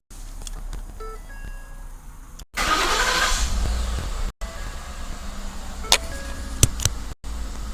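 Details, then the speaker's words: 2011-2014 Ford F-150/F-250/F-350/F-450 after plug-and-play Fortin Evo All remote starter install and programming, started by locking doors three times with factory remote: short crank, catches, settles to steady even idle with door clicks; normal engine start. "The Evo All is now programmed. From this point on, we can engage the remote starter by locking the doors 3 times with the factory remote."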